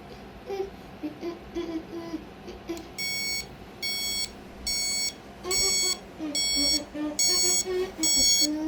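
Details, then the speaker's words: Amazon Basics alarm clock: bursts of high, bright beeping roughly once a second, each burst steady and clean in a quiet room; normal alarm sound. "Okay, I'm going to switch the alarm off, and that's how the alarm sounds like."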